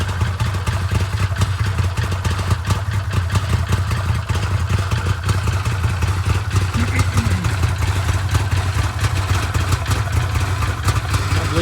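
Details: Arctic Cat Wildcat 1000/X side-by-side at first start-up after starter upgrade with new kit starter gear and reinforced starter boss: steady, even low idle with no misses, knocks or grinding; engine running healthy.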